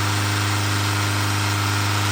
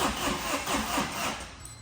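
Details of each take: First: Tata 2.2 diesel 150 hp after rebuild (scored crankshaft, failed oil pump; new bearings, pump, head gasket, timing belt, fuel tank, injectors recoded): steady even idle, constant low drone, no misses or knocks; normal. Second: Tata 2.2 diesel, 150 hp, oil dried out: cranks in slow heavy pulses and fails to pick up, starts but won't rev, loud noise; oil pump not working, scored crankshaft, engine overhauled.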